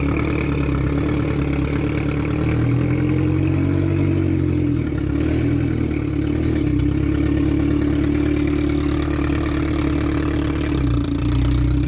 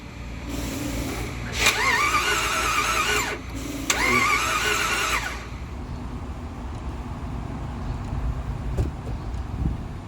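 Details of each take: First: Salvage Ferrari 360 Spider test-fired after the transmission was remounted: steady even idle, smooth low drone with no knocks, misses or rattles; normal start and idle. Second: Jeep Grand Cherokee 4x4 bought as-is at auction, battery dead and jumped: two steady cranking bursts of about three and one and a half seconds, engine never catches; crank no start, no diagnostic codes found, cause unknown.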